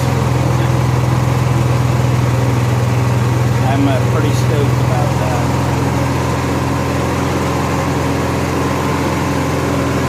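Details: Honda EXW171S welder generator, sat in a barn over 5 years. Steady, low, even drone with no misses, surges or knocks; the engine settles in and runs fine.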